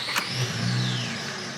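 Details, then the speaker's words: 2008 Acura TL 3.5 V6 with misfire complaint, driven hard, starting up: cranks and catches with high thin squeal over the revving from a noisy slipping accessory belt, while cylinder 5 misfire counts rise. "Hear the belt out there making noise."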